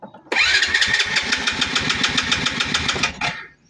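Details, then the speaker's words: Motorcycle that won't start: electric starter cranks the engine in an even chug, about six beats a second, but it never fires. "Puro ridundo lang pero ayaw umandar."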